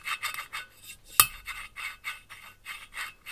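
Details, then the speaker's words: Mercedes OM 646 821 diesel cylinder head, first exhaust valve before lapping: harsh gritty rasping strokes, roughly three a second, scratchy not rustling; the seat is rough and unlapped, and should turn to a rustle once lapped. "главное на слух чтобы такой звук стал шелестящий вот когда поверхности притираются друг дружке"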